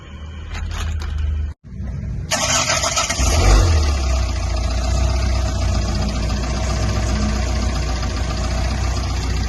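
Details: Tata Intra BS4 diesel after timing belt and water pump replacement with genuine Tata parts, belt never changed since new: cranks briefly, catches cleanly, settles into steady even idle with no knocks or rattles; healthy.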